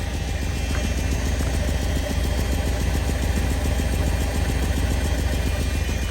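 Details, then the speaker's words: 1985 Mercedes 500SEC Euro coupe V8 at idle: rapid, uneven raw puffing chuff, exhaust visibly escaping underneath near the resonator/muffler, an obvious exhaust leak; the car also has an unsteady misfiring idle with a damaged spark plug and torn plug wire. "all right so we have here an obvious exhaust leak if you look closer you can see the exhaust coming out the bottom"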